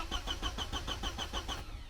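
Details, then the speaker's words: Porsche 924, 2.0 L four-cylinder, starter motor just replaced: engine cranks evenly, six or seven compression beats a second, never fires; owner suspects fuel pump not running, no fuel to injection unit. "as you can see it turns over but I'm pretty sure this has got the all problem that these pules always have when they sit for a while the fuel pump's not running and there's no fuel up to the um injection unit"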